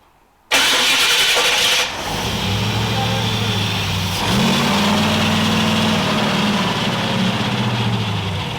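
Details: Kip's Willys Wagon, suspected giant vacuum leak: a harsh clattering whir from the starter during a short crank, then the engine catches and settles to a rough idle. The starter sounds noisy.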